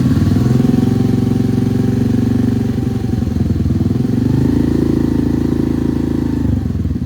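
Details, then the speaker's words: Honda NAVI, fully warm, after carb tuning (fuel screw about 2.75 turns out): quarter-throttle blips rise and settle smoothly, no stumble or hesitation; the former quarter-throttle bog is completely gone, clean throttle response. "That's that quarter throttle bog that isn't there anymore. Just a quarter throttle. Completely gone. No stuttering, no buffering, no nothing."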